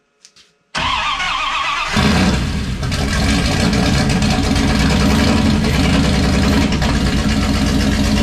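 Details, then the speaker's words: '51 Dodge dually, turbo 5.9 Magnum on Holley Terminator X EFI, right after the Dual Sync distributor was flipped 180 degrees. A brief crank, it catches within a second and settles into a loud, even idle through open custom headers: a normal start. "whoa that sounds insane you know it's amazing it fires up really fast when you put the distributor in right yeah it's awesome"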